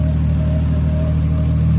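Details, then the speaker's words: Toyota VVTi 2JZ-GTE after throttle delete conversion to mechanical cable and idle adjusted to 650–700 rpm, restarted after 5 minutes off: steady, even low rumble with no misses, knocks or hunting; normal stable idle. "started up perfect. Sat idling perfect."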